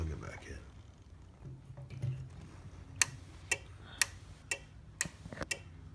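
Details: Overhead Door Model 556 opener, nonfunctional: board relay ticks about twice a second while the light blinks 15 flashes, meaning it reads the door as both fully open and closed; faulty logic board component, possibly the LM2901N chip.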